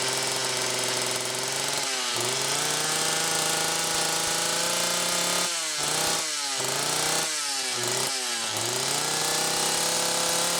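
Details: McCulloch Power Mac 6 chainsaw, two-stroke, test run after carburetor kit rebuild and 24-hour cold start: steady idle, four crisp throttle blips revving cleanly back to settled idle; runs properly.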